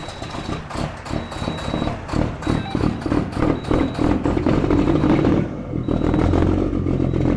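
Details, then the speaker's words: Diesel truck cold-started on a cold morning with block heater running (hiss audible), oil checked good; settles into an even, steady clatter with no misses or knocks, a healthy cold start. "no cold start i hope that block heater is still working oil's good i can even hear the block heater hissing i bet you shall fire right up then huh"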